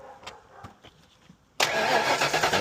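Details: 1991–92 Ford Mustang Foxbody convertible, towed in as a no-start after a fuel pump replacement, starting with key on after a clicking relay was swapped: catches on the first try and settles into an even, steady idle; clean, healthy start.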